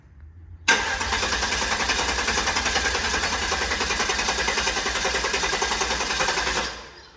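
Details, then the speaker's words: Guanci SSJ mid-engine V8 prototype, first start after over 25 years in storage: long fast cranking about six seconds without catching, with a pop heard, unsure whether from intake or exhaust; no fuel leaks seen. "Hear that? Oh, yeah. Huh? Where did it pop out? The intake, the exhaust?"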